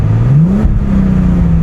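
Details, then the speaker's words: 2005 Bentley Continental GT W12, AWD, long-sitting car earlier firing on 6 of 12 cylinders, now fixed via dead battery diagnosis; idles slightly rough but revs climb cleanly and evenly on throttle, then hold a raised idle, no misfire; smooth throttle response. "I I know I know it's idling a little rough, man, but I want you to watch the RPMs. Smooth as silk, man."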